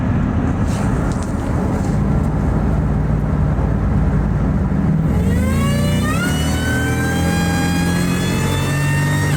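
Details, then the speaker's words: Ford SVT Lightning (2001+) V8 pulling hard with a used, hand-ported 1999-2000 Eaton supercharger replacing a failed, noisy rebuilt Jokerz Eaton: clean whine rising through each gear, no rattle or grinding; blower sounds healthy, far quieter than the old unit. "I don't hear it maybe hear the slightest slightest noise but um Far and Away better than what was on there you know soundwise"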